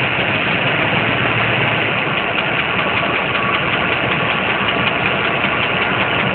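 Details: Engine idling with a faint, uneven light tick over a dull exhaust rumble; owner suspects a lifter, bent pushrod, header gasket or pistons; source unclear.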